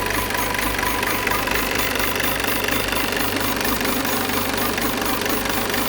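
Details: Peugeot 508 2.0 BlueHDi 180 hp diesel at idle with a fast, fairly regular light ticking about twice a second over the clatter; odd noise, source not identified.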